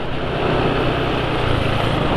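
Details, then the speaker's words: Motorcycle engine running on Mediterania oil after 145 km: steady, coarse, gravelly running with no single knock or tick; rough noise that owner attributes to the oil being less slippery, rougher than with Mesran or Repsol oil, unconfirmed. "sudah termasuk kasar ya kasar untuk pemakaian 145 km oli mesran nggak sekasar ini suaranya"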